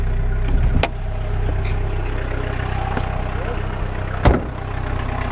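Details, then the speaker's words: VW Golf 1.6 diesel just after starting, following refitting a misaligned alternator: a steady, even idle with low rumble and no whine or squeal from the spinning belt, plus a couple of handling clunks; running healthy. "spinning and it's not a nice not whining I think we're good"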